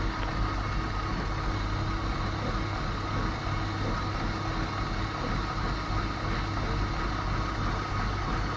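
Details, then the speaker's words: BMW E34 at idle, fuel pump (Gazelle 406-engine type, fitted last year) humming very loudly, with power loss from 5500 rpm and later refusal to pull: constant hum over idle rumble not following engine speed; clogged pump strainer. "Короче, загудел как-то бензонасос, очень громко гудел."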